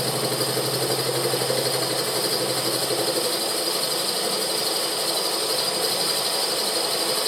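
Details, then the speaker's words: Milling exhaust nut and collet remains out of a Moto Morini 500 cylinder head: steady spindle whine with an even cutting hiss on a 20-thou bronze cut, no chatter, fixture stable, sound changing on hitting the collet; a smooth cut. "That was a 20 thou cut, and the forces are low enough that the fixture's really not moving around like it was with the steel. You hear the change in sound as we hit the collet, but that worked fine."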